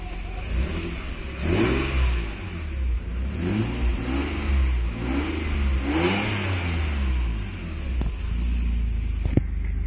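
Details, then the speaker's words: Nissan Skyline with the exhaust valve switched open so both pipes run: repeated blips rise and fall cleanly with a deeper, boomy note and no knocks or rattles; normal revving. "And there's both of them running now. Sounds a wee bit deeper."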